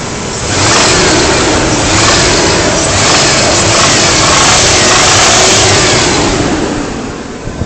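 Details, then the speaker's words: Ford Ranger 3.0 V6 that leaks a little oil, revved high: a busy, rattly top-end knock over the roar that does not occur at lower revs; owner suspects valve or lifter, unconfirmed. "yeah I don't rev it that High usually so I mean if if you don't rev it too high it won't make the sound I think it's valve or lifter and that's it let me know what you think"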